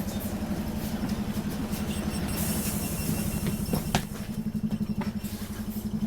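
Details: Optare Solo bus diesel on route: rough drone with a fast throbbing beat, about four pulses a second, uneven and unhealthy; squeaky noise, suspected slipped gearbox; cause unclear.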